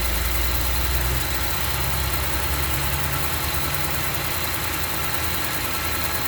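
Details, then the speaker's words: 2008 Range Rover, 169k miles, on a cold morning start: quick light tick about three to four a second over the fast cold idle, continuing after rpm drops and fan engages; source unconfirmed. "So now the RPM just decreased. And I guess the fan turned on. And it's that tick, tick, tick, tick, tick."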